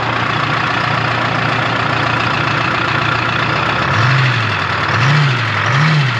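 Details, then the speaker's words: 1976 Ford F250 with swapped 453T Detroit two-stroke diesel, sat since 1996, revived: steady idle with a few smooth throttle blips, no knocks or misses, runs great though gauge shows low oil pressure and fuel nearly out. "well at least it runs oh smells good and it runs like really nice actually it's I'm shocked it's not like super Smoky like runs"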